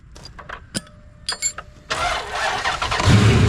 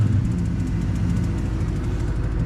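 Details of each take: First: 2003 Dodge Ram 1500 Hemi V8 with 426,294 miles, after sitting and a throttle body replacement for flashing lightning bolt: clicks, then steady cranking churn about four pulses a second that never catches; engine flooded, won't fire. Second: 2003 Ram 1500 Hemi V8 with 426,294 miles, after replacing the throttle body to fix a flashing lightning-bolt light: deep, steady rumble with an even beat and no stumbles or ticks; a normal, healthy idle.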